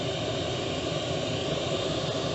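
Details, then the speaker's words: Chinese diesel heater in a 1988 Toyota Hiace campervan, a few minutes in at full output, van up to 6 degrees; steady even roar of fan and burner, no pulsing, popping or surging; running smoothly. "a few minutes in just pumping out a lot of heat there my legs are getting warm"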